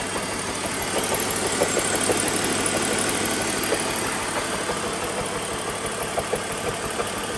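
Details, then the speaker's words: BMW Z4 3.0 salvage car with misfire and suspect DISA valve: rough idle with irregular stumbles about twice a second under steady hum, a cylinder misfiring; owner about to swap in his own spark plugs to check if misfire persists. "i'm going to take my mine out and just see if the misfire is still there"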